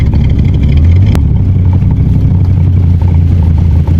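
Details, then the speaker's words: 1984 Corvette, 350 small block with Holley 1460 carb, after rejetting and timing toward 34–36° advance: lumpy wavering V8 idle, catching, barely holding; rough idle persisting after minor air/fuel and distributor adjustments. "Yeah, she's not too happy. Kind of hear it catching. Getting closer."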